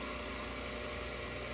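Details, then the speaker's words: Reversible cast-iron Craftsman electric motor with ball bearings, probably early to mid 1950s, plugged in before rebuild: even constant hum with steady airy rush, maybe a little loud, no bearing whine or grinding; normal running. "This one, as a matter of fact, I have it plugged in. Works fine. Maybe a little bit loud."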